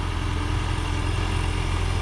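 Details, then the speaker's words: 2007 Toyota Prius after muffler replacement: low steady exhaust drone with smooth even pulse, no rasp, rattle or blowing; far quieter than before. "hell yeah sweet way way way quieter"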